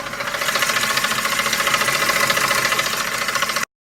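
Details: Ford F150 at idle: rapid even ticking about three or four a second from worn belt tensioner and a couple of idler pulleys; replacing them made the truck quiet again.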